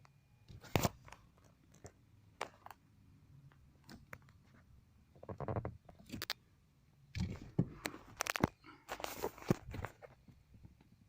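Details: Chevrolet Montana steering wheel rubbing its column trim: quiet irregular scraping and crunching as wheel turns; fixed by loosening 13 mm bolt, pulling wheel up and retightening.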